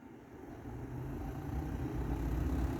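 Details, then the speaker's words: Triumph TR6 heater blower motor, removed and bench-tested on a battery with ground clamped to negative, low-speed stage: low steady hum swelling smoothly as it spins up, even, no scraping; blower motor works fine. "if you hear it here you can hear it running so we know that works"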